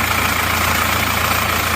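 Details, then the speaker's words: Isuzu Panther diesel before repair: harsh, uneven, shaking idle clatter with thick smoke, rougher than other Panthers; low rpm and fan-belt noise suspected. "ya [Musik] ini mungkin memang efek dari RPM mesin yang terlalu rendah seperti ini kalau goyangnya Emang seperti ini terus suaranya itu saya rasa ini adalah suara ban kipas dan asapnya tebal gitu ya emang agak kasar dibanding dengan mobil-mobil Panther yang lainnya ya"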